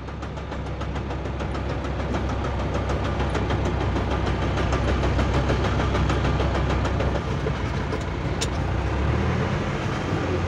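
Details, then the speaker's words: D20 gearbox: steady clacking about three times a second over drivetrain hum from a broken fourth-gear tooth that was built up by filling rather than replaced, after fourth and fifth broke; held under a year. "quebrou a quarta e a quinta só que a quarta quebrou um dente só né que que eu fiz eu mandei preencher esse dente"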